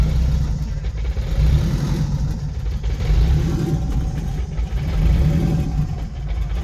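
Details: E85 car with 4-inch throttle body on Tuner Studio standalone ECU, chilly cold start without throttle: low, uneven idle sagging and surging as if about to die; priming and cranking pulse seem fine, one of the later enrichment maps off.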